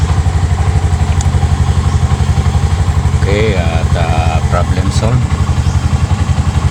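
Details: Normal idle of a single-cylinder RE Bajaj trike: a steady, even low thumping that holds its beat with no misses or stumbles.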